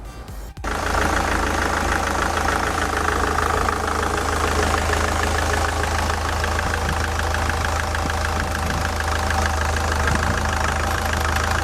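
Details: Ssangyong Kyron D20DT diesel at idle, belt tensioner roller off-centre and belt edge chewed: light, fairly regular tapping about three per second over the clatter; tensioner spring swinging back and forth, loud knocks at stethoscope, worn tensioner.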